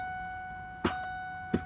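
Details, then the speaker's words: 2002 Ford F-150 5.4L: key turned with battery charged gives only sharp clicks, steady warning chime behind, no cranking; everything else bright, so the starter motor has failed (starter wiring also corroded). "You hear that little click? But everything else is bright and the battery seems good, then that is a good indicator that your starter has indeed just gone bad."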